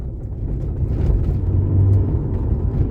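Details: 2005 Subaru Legacy with new rear shock absorbers on the old springs, after six months of a right-rear knocking noise: a low, smooth road rumble while driving with no knocks, the rear suspension now quiet.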